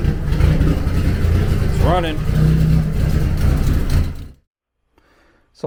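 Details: 1991 Eagle Talon TSI, built 4G63 with HKS 272 cams and a Precision turbo, first start after 5+ years sitting. E85 drained, injectors cleaned, new fuel pump, wiring fixed. The engine catches and runs a steady low drone for seconds before shutting off; healthy.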